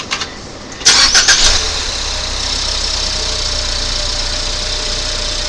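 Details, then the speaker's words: 2019 Ford Fusion 2.0L EcoBoost with accessory belt removed: cranks, catches, steady even idle with no rattle, confirming the noise came from the alternator, which is being replaced. "So, we confirm that it is the alternator by taking the belt off, starting it up, shut it off."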